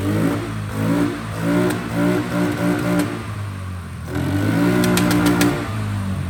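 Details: Fire-damaged 2006 Polaris 500 single-cylinder ATV, stored 2 years, running after a correct replacement wiring harness: engine catches and revs steadily with throttle blips, no knock or misfire. Healthy running; no engine issue.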